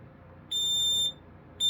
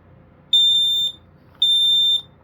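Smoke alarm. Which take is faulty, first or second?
second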